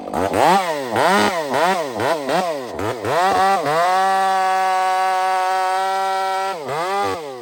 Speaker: That saw is very strange. I feel it when it gets in the wood and starts working hard. It's like it's got a power band.